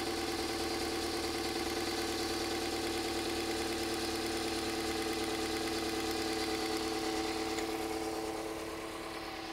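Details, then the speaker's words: 2001 Toyota Avensis, owner reported bubbling noise, idling: uneven drone with a fast snapping tick about three times a second as the destroyed ignition coil sparks externally everywhere, causing misfires; ignition coil arcing. "okay we've got a bit of a problem we know what's wrong that coil is destroyed"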